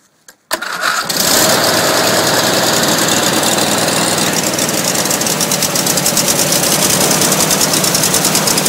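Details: Racer engine first run after rebuild, started with gas poured down the carburetor, fuel pump then drawing from tank, snowing outside: brief crank, catches within a second, settles into even steady beat without misses or knocks; normal running.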